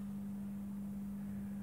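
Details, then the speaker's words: Mike Smith Metro lantern outdoors, retrofitted from a CDO lamp to a GEC high-pressure sodium lamp, on first power-up. Steady, even low electrical hum as the lamp strikes: normal magnetic ballast hum. "ah yes i can hear it humming and is it firing let's see what it does"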